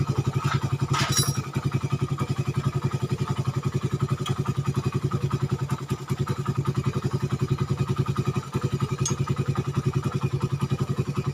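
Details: Suzuki Satria FU 150 cc after correcting the cam-chain timing mark (top) that another workshop set wrong. It had rough idle, harsh sound, weakness and high fuel use. Now a steady, even single-cylinder beat of about 3.5 pulses/s with no misfires or knocks runs smoothly.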